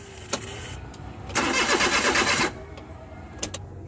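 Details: Suzuki Multicab with K6A engine: starter churns steadily for about a second but the engine never fires or catches, then goes quiet, a crank no-start.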